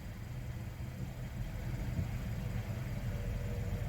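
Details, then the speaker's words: 2013 Hyundai Sonata, 135,000 miles, after engine recall, codes P0014 and P1326, revs limited to 1800 rpm: low uneven thumping knock under quiet idle; rod knock, owner believes engine is done. "but as soon as it hits you're getting that knock as soon as it hits that knock it shuts it down and it just stops it I think this engine is done for 135,000 miles"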